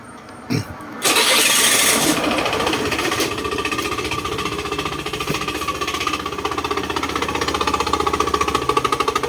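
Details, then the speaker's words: Honda Scoopy i scooter starting and idling: light fast clacking rattle from a loose engine air shroud whose three bushings are worn; fixed by tightening the bushings. "ครับฟังเสียงเราก็น่าจะดังมาจากตรงนี้นะครับเดี๋ยวเรามาถอดแกแก้ปัญหากันนะครับว่ามันเกิดอะไรขึ้นนะ"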